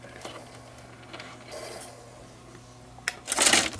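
Quiet motor hum with light clicks, then a short busy whirring rattle as the carousel swings round; mechanism turning normally.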